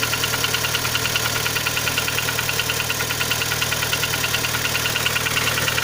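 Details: Kia Sportage 3 engine at steady idle with sharp even ticking about three per second; knock louder cold, quieter warm, heard at low driving speeds, gone at 60-90 km/h, returns after lifting off and re-accelerating; cause unknown.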